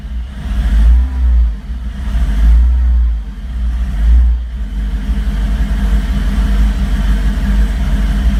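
Uneven, lumpy idle with the beat wandering about once every couple of seconds and a few blips of revving; engine running rough, cause unknown.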